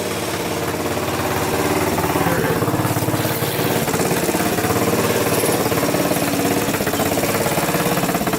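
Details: Kawasaki KZ 650cc shifter go-kart after carburetor and valve adjustment: even, steady idle pulsing about three times a second with no misses or knocks; normal idle.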